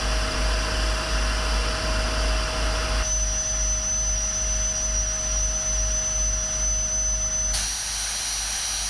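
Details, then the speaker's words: 30ft powder tanker being pressurized by air compressor for unloading: sharp steady high whistle over compressor hiss holding several seconds, overpressure relief valve venting as tank reaches 2 bar, confirmed on gauges. "you can hear going off that's the overpressure valve so the tanks reached to bar"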